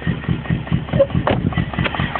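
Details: BMW E34 idling a few days after intake manifold and throttle body gasket replacement: uneven, lumpy idle with irregular heavy knock about five times a second from the driver's side; cause unknown, owner suspects something in a cylinder or fouled plugs.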